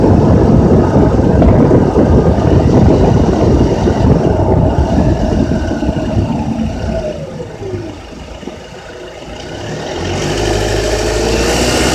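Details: Honda Accord with K24Z3 engine pulling up through 2200–3000 rpm: light metallic rattle riding on the drone, fading as revs drop; source unknown.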